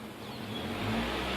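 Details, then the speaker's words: 2005 Toyota Corolla after vacuum-leak repair for a lean code. Short, clean rise in RPM with a smooth even pull and no stumble or hiss; fuel trim increases, long-term trim stays under 10 versus over 20 before, and short-term trim goes slightly rich. "So I'm going to raise the RPM, and the fuel trim does increase."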